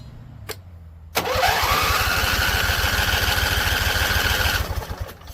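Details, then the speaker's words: Husqvarna Z254 mower engine, after a PTO clutch install. Hard start: it catches with a rising whir, runs unevenly about three seconds, then fades and dies. Owner suspects flooding again and a tank not venting; he tries the fuel on low. "Flooded again. So, fuel on low. That's what I'm thinking, flooded again."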